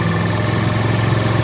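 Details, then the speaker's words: Honda CD70, new-model carburetor, fuel-average setting: after slightly lowering idle and tightening the mixture screw, revs held high and steady as the mixture is opened, seeking the point where revs drop. "अब इसका mixture हमने खोलना है। ये आपको सुनाई दे रही होगी आवाज़, रेस बढ़ रही है।"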